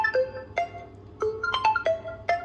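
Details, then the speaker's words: Oppo F19 Pro that had no ringtone or media sound, tested after repair of the shorted audio IC: a clear, bright mallet-style ringtone plays from the settings menu with no crackle or distortion; the phone speaker works normally. "तो जैसा की आप सुन का रहे हैं हमारी shawl हो गई है यहां साउंड है वो जेनरेट हो गई है"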